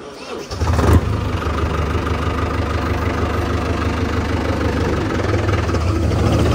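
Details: New Holland 5500 diesel tractor with paddy thresher that had suddenly shut down and wasn't cranking: brief crank, then the diesel catches and settles into a steady, even low idle with no misfire or stumbling; normal start and idle.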